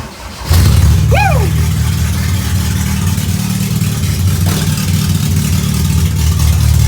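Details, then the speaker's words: All-wheel-drive Honda CRX, first startup, open header, after a few kinks worked out: engine catches and settles into a loud, steady, deep idle with an even, unbroken rumble and no knocks; normal idle. "All right, we worked out a few kinks. This should be the first startup correctly by itself."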